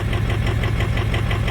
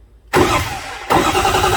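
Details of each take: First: 2005 Ford F350 Super Duty 6.0 diesel misfiring at idle, lumpy with uneven knock; cylinder contribution test shows cylinders four and seven weak, glow plug fault on six; seven improved once warm, four still weak; injector problem rather than mechanical. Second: 2005 Ford F-350 6.0 diesel with a misfire, cranking during an amp-clamp relative compression test: steady starter pulses, about four per second, with no missing or weak humps. Compression is even, so injector problems are suspected.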